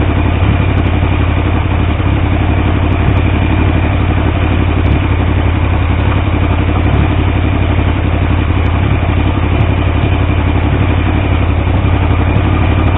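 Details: Triumph T150V triple after head and cylinder rebuild to cure oil leaks: steady even thrumming idle with firm low beat, no knocks or misses; oil pressure around 40 psi under 2000 rpm; normal running.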